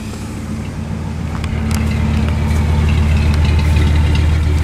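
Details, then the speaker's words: Ford wrecker V8 with Chevy HEI distributor replacing the Duraspark ignition, which used to pop and crack around 2,000 rpm under throttle: deep rumble revving smoothly and evenly with no popping, now running well. "seems to run really good with that distributor actually sounds not too bad"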